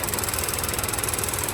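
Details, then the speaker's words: Ford Ka three-cylinder engine at idle, owner complained of a noise after starting: fast, even light ticking about a dozen per second over steady idle, starting when the EVAP canister purge valve duty cycle reaches about 13%; normal purge solenoid ticking. "o barulho vai começar já hein se prepara aí que vai vir um show de barulheira lá ó barulho tá escutando barulhinho"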